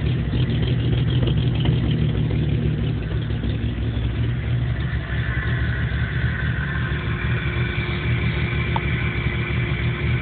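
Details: 1997 Jeep Cherokee with no trouble codes that won't idle right and dies under power; low, lumpy idle rumble with an uneven beat that never settles into a steady rhythm. Rough idle, cause unknown.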